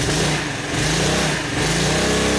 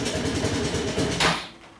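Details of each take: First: Honda Helix CN250 250cc salvage scooter after refilling with fresh fuel: idle still slightly uneven, but revs climb and drop cleanly on throttle blips with no bogging. Normal throttle response. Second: Honda Helix CN250 250cc scooter, salvage auction purchase, cold morning start: runs lumpy and uneven for about a second, then cuts out abruptly; rough running, owner suspects bad old gas.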